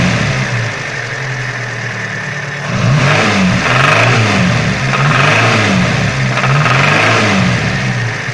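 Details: Engine knock that is absent at idle and appears as the revs rise, a dull, uneven knock on each rev. The broken chain guide was replaced but the knock remains; the source is unknown.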